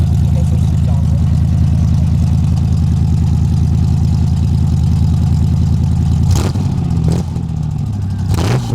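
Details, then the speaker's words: 1991 Ford Explorer flatbed conversion, after new brake booster and fuel injectors: deep even burble at idle with a couple of smooth throttle blips; healthy, sporty, not-loud exhaust. "it sounds pretty good it's not real loud but it sounds good I didn't want it being real loud and obnoxious anyway so it's perfect oh sounds sporty"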